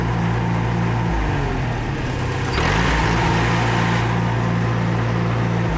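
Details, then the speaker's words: Farmall Super A tractor after getting an aftermarket carburetor running; it previously surged when not under load. Steady low thrum with a brief rev, no surging or hunting; runs smooth. "I hope that you can hear that one's running pretty smooth."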